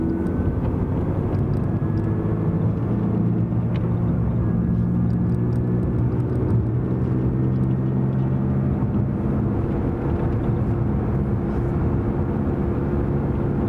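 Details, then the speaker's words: Dodge Dart, inside the cabin at a constant 55 mph: steady low droning hum under road noise, unchanged by gear shifts because it follows wheel speed, not engine speed; louder when swerving loads the right side; worn rear wheel bearing, probably right. "just shifted pretty much no change in noise because it's tied to wheel speed not engine speed"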